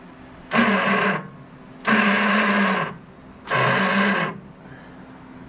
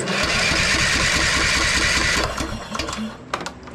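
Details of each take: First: Troy-Bilt Bronco riding tractor, unstarted for over a year, weak battery: three short bursts of high whirring with the engine not turning over; starter spins free because the Bendix drive is rusted and stuck from sitting. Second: Troy-Bilt Bronco riding tractor, unstarted a year, after freeing the frozen starter Bendix so it engages the flywheel: starter spins the engine at about four beats a second, each compression stroke even; normal cranking with good compression.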